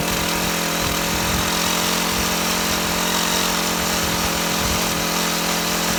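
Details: Shindaiwa HT2510-40 hedge trimmer, C4 four-stroke engine, no power, test run after clutch replacement: buzzes hard at high speed with a strained, uneven note and little pull; runs terrible, half a cam lobe found broken off.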